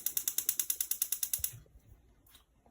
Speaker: Works fine. You hear the clicking is working.